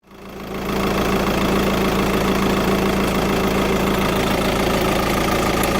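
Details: VW TDI diesel at idle: a fast, fairly even light tick, roughly three per second, riding over the diesel clatter; the source of the ticking is unclear.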